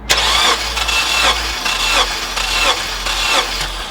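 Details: 2006 Honda Element K-series, 153,000 miles, chasing a cylinder 2 misfire, cranking during a compression test with plugs and coils out: even whirr with regular pulses about every two-thirds of a second; healthy cranking, cylinder 4 reads 180.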